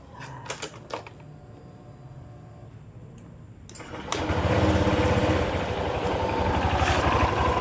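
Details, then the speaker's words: Honda Click 125 scooter before repair, crankshaft first suspected; quiet then revs into loose, uneven rattling clatter around three knocks a second, actually from worn CVT pulley set; worn CVT pulley set. "Ay nako, pero ayun no, pero hindi segunyal lang tama niyan no. Meron para."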